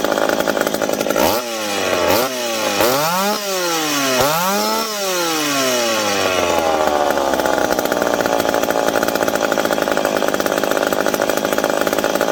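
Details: McCulloch PM700 two-stroke chainsaw, newly ported and on first run, not yet broken in. Blips up and down several times, then holds a steady high scream under load while cutting. Normal, clean running and cutting.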